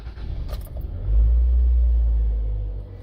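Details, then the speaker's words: 2003 Toyota RAV4 petrol engine after fixing a start-then-shut-off no-start with code B2796 on a car without an immobilizer: smooth, low, steady rumble with no knocks, misses or stumbles; normal idle after repair. "The car is perfect now, and they are good on the road."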